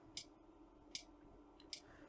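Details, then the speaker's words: Trojan treadmill control board DCMD67 powered on the bench: sharp safety relay clicks repeat about every 0.8 seconds over a faint steady hum, the known clicking relay fault, relay clicking in and out. "Oops, this board's got a problem. We can hear the safety relay clicking in and out."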